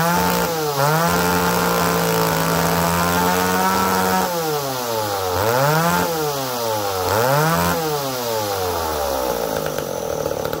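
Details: McCulloch Pro Mac 1010 two-stroke chainsaw that had been smoking badly, run after the carburetor was reset (it was likely running rich): buzz that surges and sags instead of holding steady revs; still uneven.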